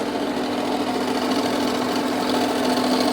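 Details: Jeep Renegade 2.0 Multijet diesel with an engine noise. A steady rapid clatter, about three knocks a second, over the idle, seemingly from the accessory belt area; the cause is unconfirmed, and belt removal is planned to isolate it.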